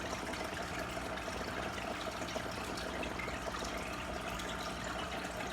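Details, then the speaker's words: Marineland Emperor 400 aquarium filter after fixing an impeller that wouldn't spin or lift enough water: soft steady hum under trickling water, no rattle or grinding; running quietly and circulating normally. "So it's real quiet."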